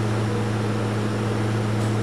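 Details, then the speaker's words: ABS pump motor commanded on through Snap-On scan tool bidirectional output control test: steady electric hum with constant low buzz, no grinding or rattle; normal ABS pump operation. "Hear that hum? And by the way, it's not me humming, I'm not in a band."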